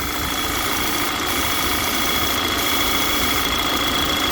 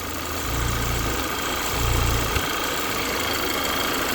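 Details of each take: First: Audi Q3 2.0 TFSI (CCZC) idling lean with P2279/P2187 and check-engine light, engine cover off: steady loud hiss with thin high whistle from a failed PCV valve diaphragm pulling hard crankcase vacuum (dipstick cap stuck on), a vacuum leak. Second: 2013 Audi Q3 2.0 TFSI CCZC petrol engine being diagnosed for lean faults P2279 and P2187 at idle with the check engine light on: a steady, soft, even hum with light low thumps and no hunting, a normal idle.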